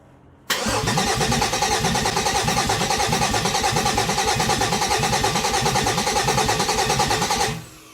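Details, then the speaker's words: 2008 Dodge Nitro after engine change, first start attempt: strong starter cranks evenly about three turns a second for seven seconds with no firing; fuel pump heard running; cranks, no start. "It it cranks around, so the starter is in good shape, but I don't have anything else."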